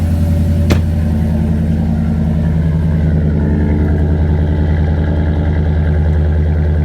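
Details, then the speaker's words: 2016 Ram 1500 5.7 V8 after spark plug replacement and oil change, started up: steady low rumble at even idle, no misfire or rattle, running smooth. "Seems to be running smooth here."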